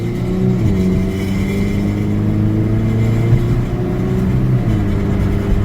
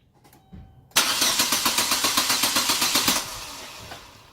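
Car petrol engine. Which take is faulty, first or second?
second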